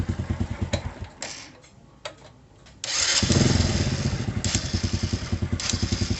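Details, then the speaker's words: Old Honda Supra motorcycle electric start after replacing the starter relay: stronger click, short cranking bursts, then the engine catches at once and settles into a steady even idle; starter working properly. "bunyi kliknya terdengar lebih mantap, kan? Saya sudah mengganti relay starter di bengkel ini."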